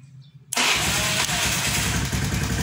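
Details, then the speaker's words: Honda automatic scooter (Beat/Vario type) after rewiring the weak double-starter circuit to ground: engine catches at once on the starter and settles into a steady, even idle, normal start. "Nah, ini belum kita bungkus, ini nanti kita rapikan. Coba kita tes, kita nyalakan."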